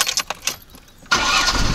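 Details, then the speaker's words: VAZ 2104 with high idle, hard starting and a deep flat spot, after carburetor and ignition checks and adjustment: a few quick cranking pulses, then it catches at once and settles into an even idle; starts cleanly. "Вот ребят как она заводится слышите Да"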